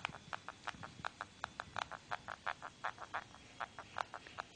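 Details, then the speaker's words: Xiaomi Redmi 1s phone: rapid sharp creaky squeaks, a few each second, when pressing the back cover at the area that normally heats up, none elsewhere; resetting the back cover didn't help, owner asks if normal. "here this squeaking noise so see if there this is there in your heads uh and and let me know if it is normal I tried resetting the back cover but it doesn't help"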